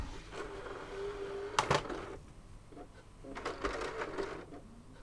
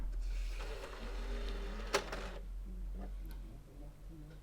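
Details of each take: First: PS3 Slim with HDMI display fault, game disc inserted: faint whirr, sharp mechanical clicks and second tray movement, disc never spins up; drive not loading because the disc drive cable was disconnected. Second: PS3 Slim console after reseating the disc drive cable during HDMI port repair, disc inserted; single click, soft whir rising and settling, quiet seeking with no grinding; drive spins up and reads the disc normally.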